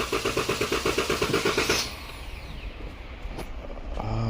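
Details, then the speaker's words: 2014 Dodge Durango 3.6L with P0304 cylinder 4 misfire, clear-flood cranking: starter churns at about three even beats a second then stops; relative compression test on lab scope suggests a low-compression cylinder. "I think we got a bad hole here guys let's see see where's low"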